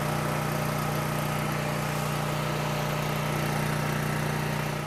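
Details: Coleman PowerMate 6560 generator after carburetor gaskets were refitted in correct order (they had been in wrong order, causing choke-only running): steady, even hum at constant governed speed under a 1,000 W heater load, adjusted toward 60 Hz at 120 V; no surging or hunting.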